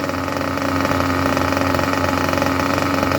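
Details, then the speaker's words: Junkyard Mutt nitro engine on a break-in stand, first start attempt, with the low-end needle leaned a touch: steady, even buzzing idle with a constant low note and no misses or surging, a clean, beautiful normal idle. "That is absolutely magnificent when it comes to idle. Should I open that throttle up a touch? We got a beautiful idle."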